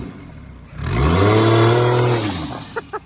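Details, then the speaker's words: CT20 turbo Lexus IS300 freshly built, revved during one-tire burnout: quick rev rising sharply and falling back cleanly with strong, loud exhaust roar and turbo noise, no rattle; healthy running. "Oh, it sounds freaking sweet too. Did you hear it? Yeah. It's freaking loud."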